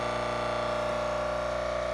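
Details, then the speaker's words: Jura D6 coffee machine at initial setup filter rinse, filter inserted, tank near max: steady even buzzing drone with no water-flow gurgle; pump running but no water delivered. "and so it makes the noise but there's no water coming up again filter is inserted water tank is at the max level it's actually a little bit below so there's no water no water coming anyway"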